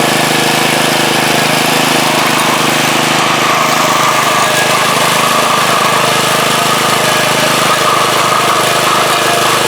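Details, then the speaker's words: Front-tine rototiller after swapping an old 3 hp for a 4 hp Briggs & Stratton lawnmower engine: small single-cylinder runs at a steady, even rapid beat without misses; engine runs good, though tines move without the lever as the belt seems too tight. "so I may have to change the belt to a looser belt or change the pulley but does work runs good"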